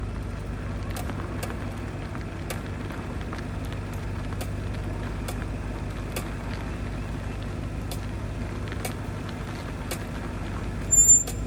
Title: 2025 Audi RS6, what’s the clicking sound from front wheels? dealership has no answers. #audiworld